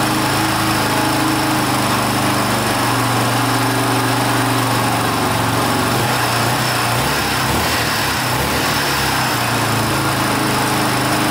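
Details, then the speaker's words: 1982 Honda XL500R single-cylinder running for the first time in years after valve adjustment, carburetor cleaning and reconnecting the pickup coil wire; steady, even thumping idle with no misses or stumbles, running cleanly. "that sounds pretty good wow can't believe it started I was giving up hope there for a little bit"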